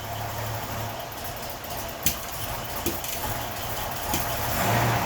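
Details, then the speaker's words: 1981 Datsun 280ZX, naturally aspirated, cold start: rough idle at about 35 psi fuel pressure, then at about quarter throttle pressure rises to 40 and the engine stumbles, sputters and backfires as if to stall; it smooths out above 2000 rpm. "so that was probably quarter throttle our fuel pressure went up to 40 and the car just kind of sputtered so you can hear the same thing it's just kind of fighting through it and uh getting some backfiring"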